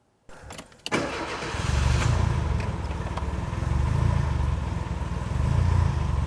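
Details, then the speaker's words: Renault 5 Gordini (Alpine) Turbo, carburetted engine started and settling to a fast busy idle with a light tick on top; one noisy tappet and idle set too high, idle mixture screw about to be adjusted. "as you can hear there's one noisy tap it but that's we're not going to bother with that today um that's something that the garage themselves can do if they wish um but it's idling quite quickly as well"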